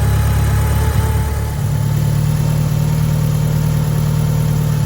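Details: 1990 Mitsubishi Eclipse GSX right after engine install, start before warm-up and test drive, DSM link not yet plugged in: steady, even low idle with a smooth unbroken rumble, no knocks or misses; engine running healthy.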